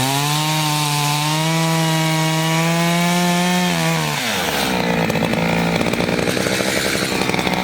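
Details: Chainsaw of roughly 50–60cc (owner unsure, maybe 58), 3/8 pitch chain on a 24-inch bar, on its second tank and barely broken in, cutting old wood: a steady full-throttle scream drops and roughens in the wood but keeps pulling strongly, normal operation under load.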